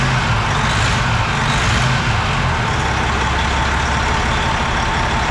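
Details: Semi truck diesel fired up after valve cover work, rockers and stem buttons refitted, injector left in place, cover off: settles into a steady rumbling idle with no misfire stumble or knock; runs evenly now.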